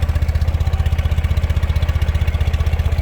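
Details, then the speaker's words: 2013 Ural Patrol carbureted twin started without choke, fires right up and idles smoothly; steady, even low thump about three beats a second, no misses or rattles; very well-tuned engine. "you can hear without any hesitation of any kind that engine fires right up idling beautifully this is a very very well tuned example of a carbureted neural engine"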